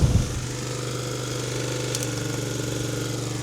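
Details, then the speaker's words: Small pull-start petrol generator engine, standing about five months, started after several pulls: holds a steady low drone under load without surging or misfiring; normal running under load. "Yes. So far so good."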